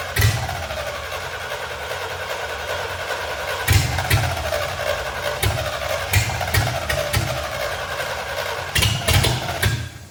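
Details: C65 dump truck with a swapped-in carburetor. Uneven, stumbling firing with sputtering surges that never settle into a steady idle. Fuel starvation.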